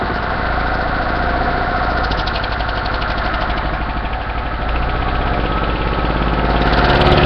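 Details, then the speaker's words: Small engine knocking hard at about 3.5 raps per second when its intake air is shut off or covered by thumb; it still runs on ambient air. "well that's interesting you hear it Knocking real bad when I shut the air off to it I get a lot of knocking"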